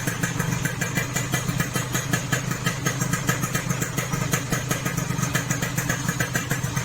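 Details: Yamaha RX King two-stroke after rebore to 175 oversize piston, fixing a rough noise from a shaved piston: quick, even popping idle free of grinding or rattles, smoother than before; normal idle.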